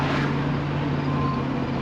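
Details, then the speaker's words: 2006 Chevy Express 2500 after transmission fluid flush: steady drivetrain hum pulling smoothly from first into second with no flare, slip or clunk; previously hesitated shifting out of first with very dirty fluid; smooth automatic shift. "second pretty smoothly I'd say we're doing pretty good right now before it was really hesitating to shift out of first so that fluid was really nasty"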